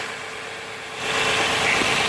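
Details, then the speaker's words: 2011 Nissan Maxima, code P0171, high idle about 1,100 rpm in park: idle hangs high with steady airy hiss from a leaking small vacuum hose at the intake manifold; vacuum leak. "either when I was driving I could hear excessive air from this side of the engine"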